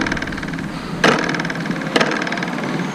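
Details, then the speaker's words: Triumph Tiger 800, owned five years, at idle: light buzzy rattle with sharper taps from the rear reflector bracket on a plastic mounting vibrating; worse at low speed and rough roads, owner suggests rubber cushioning. "But what I feel, this will start vibrating too much at low speed and on rough roads."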